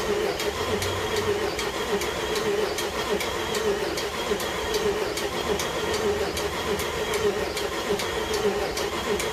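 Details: Jeep engine just reinstalled with new connecting rod bearings, cranked with injector fuse out to build oil pressure after fresh oil fill: sharp regular tick about two a second over cranking whir; owner wonders what is ticking, cause unknown.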